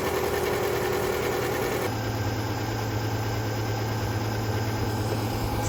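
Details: Subaru EJ25 flat-four petrol engine, suspected blown head gaskets with an overheating and coolant-loss complaint although the pressure test holds, warming up at idle; uneven, stumbling beat where a cylinder misses.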